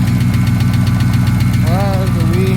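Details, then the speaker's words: Dodge Scat Pack V8 started on a jump after a fuel pump replacement attempt with a very dead battery: quick, sharp, regular top-end ticking at idle keeping pace with engine speed; cause unknown, owner fears engine damage. "ticking coming from this damn motor that's a tick that's a bad tick I don't like it at all"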